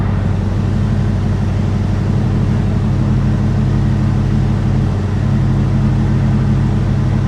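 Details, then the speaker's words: 1969 Dodge Super Bee parked with engine speed slightly raised and its R134a AC running. Smooth low drone with no compressor squeal or clatter. Vent air is just under 50°F, so the AC operates normally. "Alright, that's probably about as cold as it's going to get, and we're like right down at the green, which is, you know, we're probably just under 50 degrees, so I have no complaints about that."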